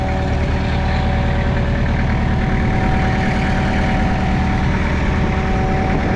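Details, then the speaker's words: Mitsubishi BD2F dozer diesel revived after two or three years sitting, idling on its own power with a steady, even low rumble and no knocks or misses; healthy idle. "just like that folks she's humming along it's two or 3 years it's R it on its own power"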